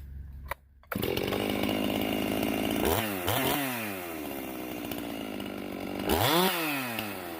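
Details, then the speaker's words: Stihl MS391 chainsaw after a hanging-idle fix and muffler mod: rips up cleanly from idle in sharp bursts and drops back crisply with no bogging or hang, crisp throttle response; limiter found set at 12.5. "now we got this little hanging idle issue fixed that was uh frustrating the ever living daylights out of me but i feel like we found the issue so the throttle response is so much better with this thing muffler opened up"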